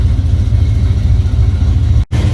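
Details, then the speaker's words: Mustang, street tuning at low boost on a very cold day, fully warmed up, coolant 182, idle air-fuel 13.1–13.5: deep, steady warm idle with even low rumble, no misses, surging or knocking; normal idle. "just so you can see that it's all warmed up cooling temps at 182 idling air fuels between 13 1 and 13 five it looks like"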